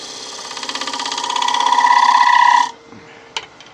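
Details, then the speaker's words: Woodturning, negative-rake scraper cleaning up UV resin after curing under light: bright ringing scrape with fast even chatter, stopping sharply as tool lifts; sound shows the resin cured hard. "when it goes off, it's definitely a hard resin because you can hear it."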